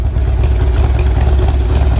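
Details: Old Harley Sportster after intake gasket replacement, running on choke: lumpy, uneven low thumping, idle stumbling and never settling; owner suspects carb issues and found fuel had been turned off.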